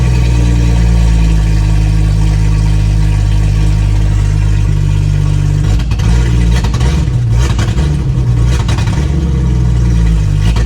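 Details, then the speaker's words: 1996 Jeep Grand Cherokee ZJ six-cylinder after new plugs, wires and new injectors (old ones partly clogged): low idle drone stumbling and breaking up irregularly, worse when revved; still misfiring, cause not found. "All right, that did not fix it. Oh, well, looking at the old injectors, I'm going to keep all of them in the package, but a lot of them did look like they had some clogged up ends, but that did not solve my issue. It sounds like it's still breaking up."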